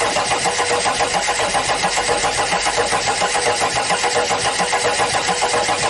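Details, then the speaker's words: Audi diesel standing unused at least 12 years, fuel and power connected to the pump: even starter cranking with no firing; won't start with air in the fuel lines, owner plans to bleed air from the pipe. "Try to start the engine Stop, turn off the ignition There is no current on the starter I would try to let the air out of the pipe so the fuel could pass"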